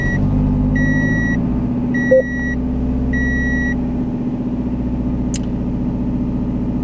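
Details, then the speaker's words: 2005 Toyota Echo with leaking exhaust manifold, before manifold replacement: loud raspy exhaust puffing at idle, sharper than normal and rising with a throttle blip. "the exhaust system on this vehicle is good but there is a leak in the manifold i'm going to turn on the vehicle and you will be able to hear how loud it is"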